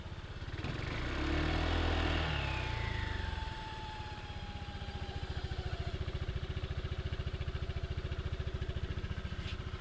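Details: CVT whine: a thin variator whistle comes in as revs rise and fades as they settle, leaving a fainter, lower whistle.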